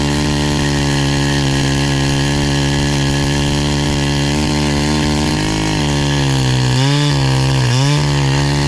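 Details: NEO-TEC NH872 71cc chainsaw (Husqvarna 372 XP clone), brand new with 28 in bar, after carburetor tuning: strong steady two-stroke drone with crisp throttle blips rising and falling cleanly; running smooth, now doing better.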